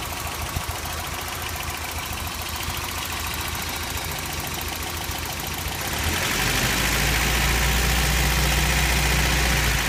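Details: 1989 Toyota pickup 4x4, 22RE four-cylinder idling with a fast, even tick about three or four per second under steady hum; owner suspects noisy valve or rod knock; codes 25 and 26 present.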